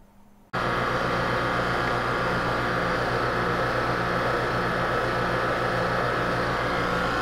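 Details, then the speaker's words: Freeze dryer vacuum pump after shaft seal replacement (leaking seal was drawing air, pump could not pull below 700 mTorr), motor recoupled via star coupling; starts with a jump to a steady even hum and hiss, no knocks or surges, running normally. "don't know if you can see that or not but it's working it's running"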